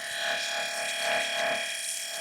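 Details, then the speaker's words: Race car electric water pump, replacing the belt-driven pump and switched from the dashboard, running with a steady even whir and high hum, no rattle or grinding; normal operation. "but there is an electrical water pump that's the pump right here again controlled by a switch from the dashboard"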